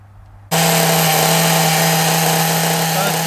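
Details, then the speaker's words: Small nitro RC engine, carburettor suspected as the earlier problem and a known-good carb to be tried later; shrill buzz fires up and holds a steady pitch with slight wobble, tick-over a bit high; normal running, sounds really good. "but it's running well sounds really good happy with that"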